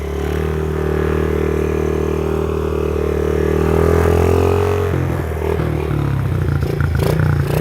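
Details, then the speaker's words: 2009 Honda CRF50F, long-sitting, restarted after Power Foam carburetor/combustion cleaning, smoking off deposits (normal): small single revs up and holds a fast steady buzz, then drops to a lumpy idle; runs cleanly. "let's let this thing run get all that smoke out again kill those bugs"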